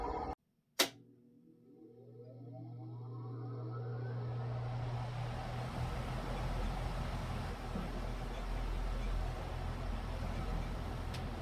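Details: ILG Model 243 fan start-up after replacing dry original 88503/88504 bearings with new sealed ones and adding a rear spring washer to remove 3/32" shaft end play: a click, low hum and smooth whine spinning up, now smooth and quiet.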